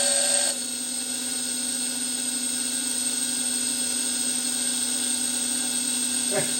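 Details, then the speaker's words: Thermo Scientific Heraeus Fresco 21 refrigerated tabletop centrifuge, after fixing an E-29 error, on a full-speed 1-minute test: steady high motor whine with a brief rough change early, then an even tone; rough at first, then stabilized. "It didn't sound very good, but it's stabilized."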